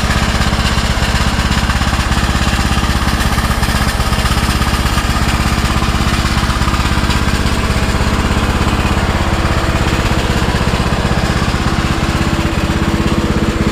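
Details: Custom-built Troy-Bilt riding lawnmower, bought on Marketplace, running outside in park: even, steady single-cylinder thump at constant speed, no knocks, misses or rattles; runs healthy.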